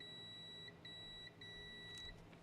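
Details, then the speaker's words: Multimeter continuity beeps on vintage electronics after reassembly: three clean high-pitched steady beeps each time the probes touch, confirming the circuit now has continuity, though it may not last. "We have continuity now."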